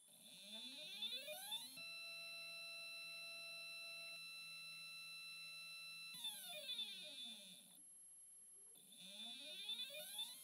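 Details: NEQ-6 Pro astrophotography mount after a belt modification, microphone on the side of the mount, slewing: stepper tones sweep up, hold a soft, steady whine and sweep down, smooth and quiet with no grinding.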